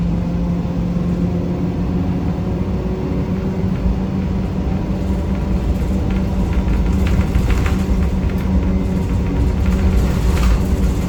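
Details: 1993 Gillig Phantom 35' bus, Cummins ISM engine, Allison B400R transmission, onboard: heavy rough rumble with steady low drone the whole ride; loud constant grinding, owner suspects transmission, unconfirmed.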